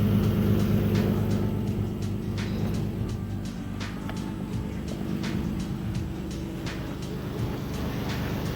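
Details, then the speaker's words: Car on jack stands, idling after install of two new eBay test pipes and Y-pipe, mic under the car: deep rumble with sharp regular ticking puffs about four a second; exhaust leak on one side, at the test pipes. "Well, one thing I know for sure at this point is that it's coming from this side, it's not coming from that side."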